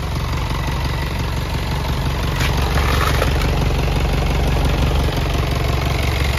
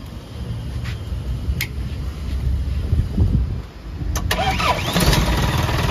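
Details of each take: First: Self-loader truck diesel idling with power take-off switched off: heavy low rumble with rough rattling from the PTO, stiff linkage; worn PTO bearings from lack of gear oil. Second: Self-loader truck after refitting the power take-off pump, which was noisy even when switched off: engine cranks, catches and settles to even idle with blips; PTO now quiet, normal running.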